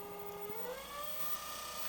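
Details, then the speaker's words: 1000 W 36 V DC electric motor driven by its controller through a potentiometer (variable resistor) in place of a suspected faulty throttle pedal; smooth whir climbs steadily in pitch as speed is turned up, no grinding: controller and motor working normally. "the speed changes as well. So now I see that the controller is working and the motor is running."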